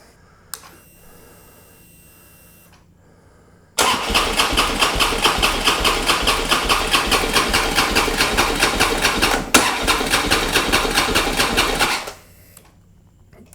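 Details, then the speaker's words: Harley Road King, roughly 2007–2009, unstarted for over four years. About eight seconds of even cranking with steady compression pulses and no firing. The fuel smells of varnish and he suspects a clog is stopping flow: crank, no start from fuel starvation. "I have a feeling that gas is not flowing through there because something is clogged"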